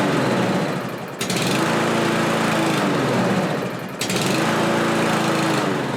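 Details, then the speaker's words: Kohler-engine lawn mower with replacement carburetor: engine speed rises and falls about every three seconds, hunting; owner suspects it isn't getting enough fuel and plans to adjust the carburetor's metering screw. "so okay well as you can see it's hunting up and down there but there is a metering screw on the side of that carburetor that wasn't there before"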